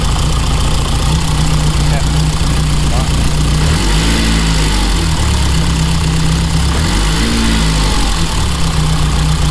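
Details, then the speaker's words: 1987 car with high-pressure fuel pump under the body, fuel confirmed reaching the filter: low idle with a slightly uneven lumpy beat, now on all 4 cylinders; rough idle blamed on old fuel and slightly stuck injectors (suspected). "Apart from running like a little bit rough because of the old fuel, it's ready to go in the garage. I think it's just the injectors were a little bit stuck."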